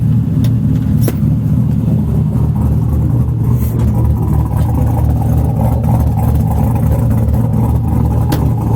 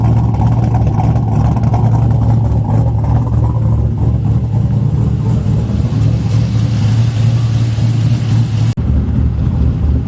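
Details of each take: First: 4.8 LS V8 swapped into a Miata, after coolant bleeding with temperature settling from 194: deep, steady, even V8 rumble with no knocks, ticks or misses; normal smooth running. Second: Sludgy 4.8 LS V8 (supposedly about 100,000 miles) swapped into a Miata, tune just adjusted and coolant being topped off and bled: a deep, lumpy idle that dips, stumbles and struggles to catch; the tune is still learning fuel.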